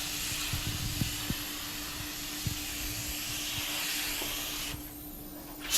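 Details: Normal spray gun operation: just-cleaned Harbor Freight gun at 30 PSI priming an 81 Corvette hood; steady even hiss of air and atomised primer, constant level, no sputtering or surging.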